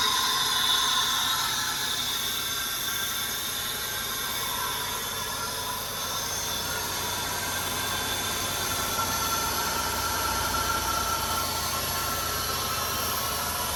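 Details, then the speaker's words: 2004 Buick LeSabre, first start in about 3 years after a new fuel pump and fresh fuel, with no air filter and the airbox disconnected: loud steady intake rush with an uneven, lumpy running beat from unmetered air. "Running. Sounds a little weird. There's no air filter in there and the air box is not hooked up, so it's sucking some air, but she's running, boys."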